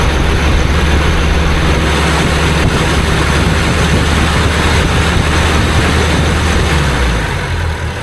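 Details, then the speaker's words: Triumph Herald Estate: loud low rumble with an uneven, wandering beat as revs settle back, a bit lumpy. Mixture tweaks made no difference (mixture slightly rich per the lift pin). The carb is suspected, to be confirmed by fitting a known-good carb from a running car. "It's not going to die. You just touch the throttle and it revs up, and you can feel it's just a bit lumpy."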